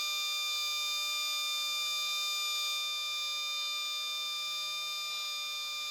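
A steady piercing high-pitched squeal holds for the whole six seconds over quiet background, fading slightly; the analyzer's sampling valve is screeching.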